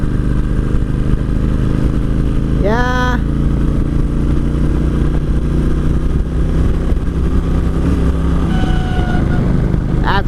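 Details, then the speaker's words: 2003 Kawasaki Vulcan 1600 accelerating in 3rd gear out of a traffic circle: a deep, hard-pulling drone with a short squeal, as revs rise without matching drive. The rider suspects the clutch is slipping. "Alright, 3rd gear. Oh, I think the clutch is slipping."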